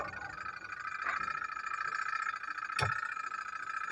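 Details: Polytron two-tub washing machine, wash motor that cut out in use, after repair (fault was the supply line/plug, not the machine), timer on: steady mid-pitched motor hum, even tone, no grinding or stutter, running normally.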